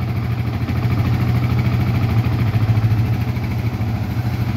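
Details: Yamaha Vixion single-cylinder fuel-injected bike after repair of several faults (socket and ECU replaced; a non-original stator had damaged the ECU); it was previously rough and stalling. A steady, even ticking idle with no misses or stumbles: a normal idle.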